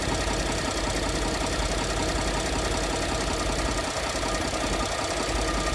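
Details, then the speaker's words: 2014 Ford F-150 3.5 L EcoBoost V6, warm idle after revving: dull knock two to three times a second, heard under the truck where crankcase meets transmission; no knock when cold, oil pressure good. "It's starting to knock now. All right, baby, I'm climbing under the truck. I found that it knocks where the crankcase meets the transmission."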